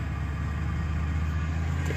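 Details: 2004 Lincoln Navigator, 201,000 miles, cold start at 47°F: low, slightly uneven rumble at idle with no knock or tick; rough idle, owner says it runs like new on the road.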